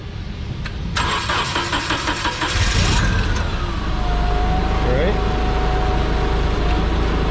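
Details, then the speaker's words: Yale GLP060VX forklift, CNG-fuelled PSI 2.4L engine, called out for running rough: after starting, it settles into an uneven, lumpy idle with a clear misfire from one dead cylinder; coils next checked by pulling plug leads one at a time. "hear that misfire right there especially hello idle"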